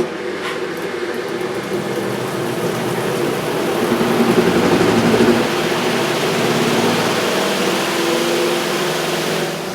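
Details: Good Ideas compact twin tub washing machine, model XPB35-918S (Portawash Plus), spin tub with the spin mat fitted and lid closed: a steady, even whir running up and holding speed, with no knocking, rubbing or scraping. Normal spin cycle.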